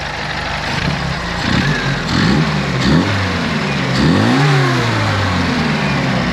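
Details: Classic Mini during a 1000 km road trip, bonnet open checking oil on the engine: revs rise and fall smoothly through several blips, even and clean, no knocks or rattles; normal revving, only a suspected oil leak around the rocker cover top.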